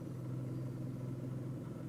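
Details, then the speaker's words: Toyota Camry after battery disconnect, warmed up, in drive with parking brake on and AC off during idle relearn, after about seven minutes: low steady idle, no misses or stumbles, smoothed out at about 750 rpm; relearn fixed rough idle. "there it's coming up the idle's coming up smoothing out all right i've let this idle for about seven minutes now and it's smoothed out nicely at about 750 rpms which is just about right"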